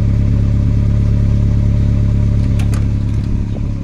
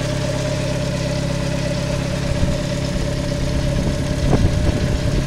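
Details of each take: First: olha o barulho do escap tá furado Second: VW Gol (square body) CHT engine after idle fine-tuning of air/fuel mixture and idle screw, starts instantly; steady, even idle with smooth low hum, no hunting, misses or surging; normal idle.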